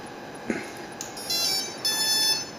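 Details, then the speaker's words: Turnigy SK450 quadcopter Multistar ESC after re-flashing its firmware, connected to the battery: short, faint, high-pitched beeps in two bursts. The changed startup tune shows it was flashed correctly; normal ESC startup tones. "all right and you'll also notice a different startup time too so um that's one way of knowing if us is a flash correctly"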